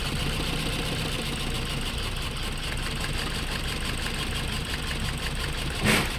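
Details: Toyota Altis after new ignition coils and spark plugs, still misfiring with strong vibration, no check engine light: idle has uneven lumpy beat with steady shake under the drone; one cylinder dead from lost compression.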